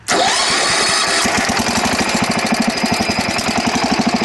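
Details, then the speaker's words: Wheel Horse mower engine stumbling and surging with choke 3–4 notches, won't start without choke; fuel tank and filter full; fuel system problem, fuel pump suspected. "This is all the way up. It should not be running right now with this much choke. See? Now it's like it doesn't have any fuel at all. So something clearly is going on with the fuel system."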